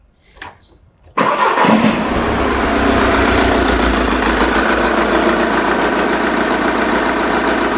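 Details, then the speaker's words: Engine with the number four injector disconnected on purpose to introduce a fault: cranks and catches, then idles unevenly with a recurring stumble; misfire from the dead cylinder. "that as you could hear there that was certainly misfiring"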